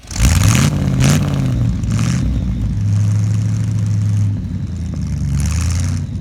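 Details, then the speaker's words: 1975 Ford F-100 V8 with 140,000 miles, abandoned 17 years, first start after revival work; catches and runs with an even, steady beat, rises cleanly on revs and settles back; normal idle and revving. "let just start down turns turns over that's promising that sounds so good"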